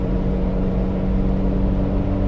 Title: 1995 Jeep ZJ Buzzing Sound at Highway Speeds